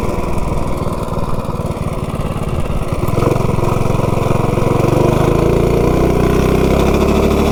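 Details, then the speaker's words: Stage 2 modified 196 engine on a B200 minibike with a $47 generic 30-series driver clutch: uneven low shudder on takeoff settling into a smoother drone as revs climb, not as smooth as the Juggernaut driver; clutch chatter on takeoff. "has a little bit of a chatter to it. That is weird."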